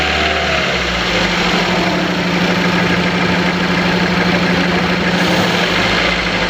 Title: No " 1 " cylinder not working. Engine knocking/Jerking. Throttle valve not open. How to solve ?